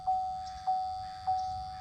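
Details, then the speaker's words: Auxbeam 6-gang 12 V switch panel, replacement unit, wired to keyed daytime running lights: a steady high whine pulsing under twice a second, like a fan noise; panel faulty. "So I have this wired up to my daytime running lights, which is a keyed on accessory. So here we go. You guys hear that whine?"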